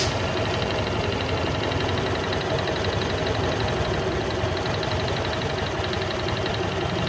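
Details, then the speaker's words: Honda Click 125 version 3 scooter, 4,575 km on it, cold idle in the shop: light metallic clatter (kalantog) that is not very loud and comes and goes; piston slap. "kung maririnig niyo meron siyang kalantog or engine noise dito sa motor na to ay hindi pa naman gaanong kalakasan minsan nawawala minsan"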